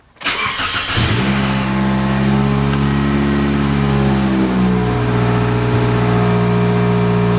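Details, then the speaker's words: 2003 Toyota Corolla after new exhaust system and new bolts: cranks, catches, idles with a faint puffing tick; exhaust still leaking, less than before, suspected at the front catalytic converter rather than the exhaust donut. "it's definitely still leaking somewhere not as bad [Music] it's not from back here it definitely is something up there"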